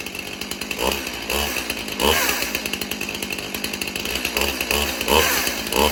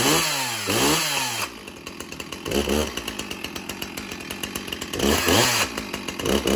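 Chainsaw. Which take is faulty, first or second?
first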